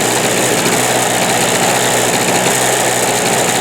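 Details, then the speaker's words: Harbor Freight Storm Cat 2-cycle generator: loud buzzy two-stroke drone with rough uneven beat, misfiring because the spark plug wire is off the plug; spark apparently jumping the gap. "The wire has off the plug, and yet it's running on its own. I guess the spark must be jumping."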